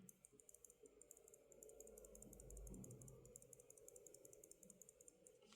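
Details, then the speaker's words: Kailh Choc keyboard switch, unlubed, shaken by hand beside a lubed one that is silent: fast dry plastic rattling, several clicks a second, loose in its housing; switch rattle from the unlubricated switch. "not sure if I camera can pick this sound there is a rattling noise and this one is completely silent"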